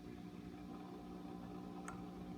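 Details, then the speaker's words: Sound City 50 Plus 50 W tube guitar head, rebuilt power supply, out of standby into a cabinet: low steady mains hum with even tones under faint hiss, extra hum induced when active tone circuitry engaged. "once I bring in the active tone circuitry you you'll hear some additional hum that gets induced"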